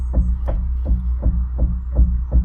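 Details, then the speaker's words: Customer's car at 72,000 miles: deep, regular bangs about three per second when put in drive and accelerating, also heard in neutral, none in reverse, hard to select park; gearbox suspected, cause not found; banging when accelerating. "So, is that the gearbox? Is that the gearbox? If I put it into drive now, I hear like a [Music] You can hear a banging sound."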